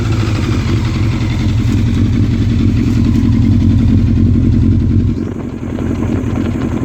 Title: Yamaha Fazer 600 misfire